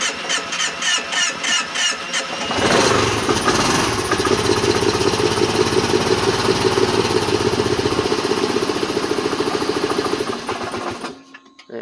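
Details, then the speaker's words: 2010 Kawasaki Teryx 750, cold start, new spark plugs and coils checked: cranks, catches only on throttle, runs unevenly then dies; won't idle until warm after about 5 miles; cause was tight intake valve clearance. "It will not idle. But once I got it to start, about will not idle until it warms up."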